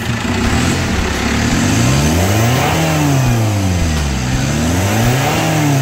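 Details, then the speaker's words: 2008 Chevrolet Captiva diesel, previously smoky, weak, capped at 3000 rpm and hard starting; after total cleaning of the fuel and turbo paths, revs smoothly to about 4000 rpm without smoke, misses or hesitation; problems resolved. "4000 nah Rp 4000 tetap tidak berasap jadi Alhamdulillah semua kasusnya terselesaikan"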